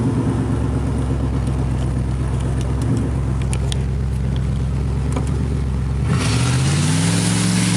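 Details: 1986 Camaro IROC-Z, exhaust pipe broken where the Y-pipe forks: a loud, raspy low rumble at steady idle, then revs climb near the end, from the exhaust leak.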